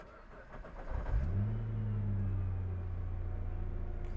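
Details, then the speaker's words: 2009 Nissan GT-R Black Edition (R35), six-cylinder, cold start: short crank, then the engine catches with a strong flare and settles to a steady, smooth, deep idle with no odd noises; a normal cold start. "there is a smoothness to this car as it starts but a distinct muscle to it you can tell that this engine though being a nice Sil 6 cylinder still has some serious power behind it"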